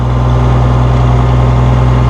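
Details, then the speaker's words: 1966 Oliver 1650 gas row crop tractor, 6,658 original hours, just started on choke: a deep, even idle with a steady low hum and no knocks, misses or rattles; it runs smoothly. "Sucker sounds good."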